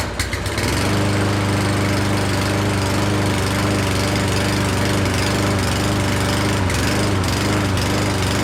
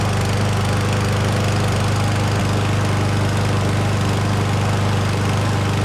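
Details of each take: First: Certified brand push mower that wouldn't start, unused all year, choke opened, starting fluid sprayed twice: small single sputters and wavers, nearly dies, then smooths into steady even run. Engine surging after starting fluid. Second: Certified push mower from Canadian Tire after its missing oil dipstick was replaced, with fresh oil and gas: a steady, even single-cylinder drone with no misses or knocks, and no oil leaks at the dipstick. Normal running.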